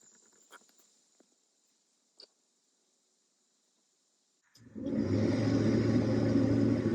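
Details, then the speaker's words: Dometic RV furnace starting after replacing the analog thermostat and control box with a Single Zone LCD digital one, AC breaker still off: a few clicks, silence, then the blower spins up to a steady even rumble with no squeal or rattle; clean start before the furnace lights. "Okay, furnace is coming on. Once we hear that light, I'll turn it off."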